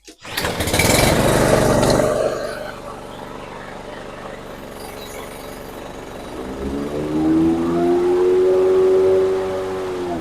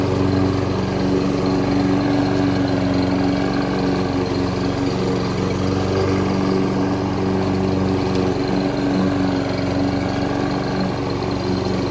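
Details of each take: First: Toro Super Recycler SR4 mower, before repair: engine runs alone, then load and pitch climb slowly as the blades spin up; slow blade clutch engagement, blade stops in high grass; owner suspects cable adjustment or clutch belt. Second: Toro Super Recycler SR4 mower after blade clutch repair for a slow clutch and blade stalling in high grass: steady, even engine drone under cutting load with no surging or knocking; normal mowing.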